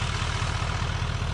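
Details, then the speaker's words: 2017 GM Duramax L5P diesel idling after harmonic balancer upgrade and new belt: smooth, steady low rumble with no squeak or shake; idling much better, no more belt squeak, normal. "The thing is idling much better. I don't have any more belt squeak."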